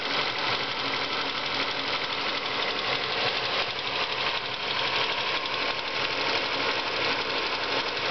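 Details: Ford Focus engine at idle with a light, steady tick about three times a second. Ticking noise; owner suspects the water pump or a worn bearing, not confirmed.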